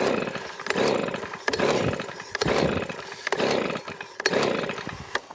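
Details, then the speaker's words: 2020 Titan two-stroke leaf blower (TTL684BVC), primed, with throttle and choke on. Five quick pull-cord rasps, each dying with no pop or catch. No spark suspected, a stated common fault: no start. "that's not even doing anything that feels to me like more of a no spark issue"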